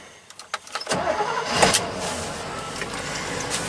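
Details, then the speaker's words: Dump truck converted from throttle body injection to a carburetor, with an electric fuel pump, cold start at about 44–50°F after one pump of the throttle: a few quick cranks, then it catches in under a second and settles to a steady, even run. "This turns over a little bit. She's running."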